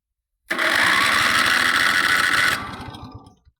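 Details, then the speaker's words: Countax ride-on mower/tractor, engine slightly warmed earlier but maybe cooled, in neutral, started by touching a starter wire; starter whirs about two seconds and winds down without catching, later traced to a bad ignition switch connection: cranking, no start. "And not a lot happened. Give it a bit of choke. She might be a bit cooled down a little bit now."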